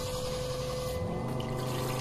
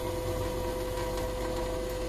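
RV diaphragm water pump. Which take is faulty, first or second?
first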